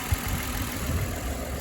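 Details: 2008/2009 Toyota Camry V6 at idle with a vibration complaint: low engine idle with an uneven, lumpy beat and occasional stumbles, a misfire.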